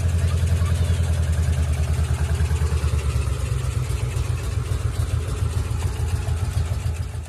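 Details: Ford Mustang GT 3-valve V8 at idle: deep, uneven, loping idle with a lumpy thump about three and a half times a second. One cylinder is dead from a destroyed cam and rocker arm, with valve lash problems.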